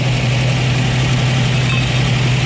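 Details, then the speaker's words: 1965 Ford Mustang Fastback V8, 4-speed, headers, Flowmaster dual exhaust: engine not fully warm idling fast and even, too high; choke probably not engaging, so idle was raised; idle then turned down. "air cleaner is barely even warm even though it's idle it's up so high the choke's probably not engaging that's probably why they had to idle up"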